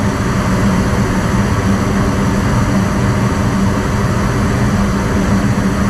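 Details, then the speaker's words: Gas furnace after replacing a failed control board, blower kicking on after the burners have run a while: steady, even low rush of air with a smooth hum, no knocks, squeals or rattles; normal blower operation. "Next, the blower reel will kick on after the burners run for a while."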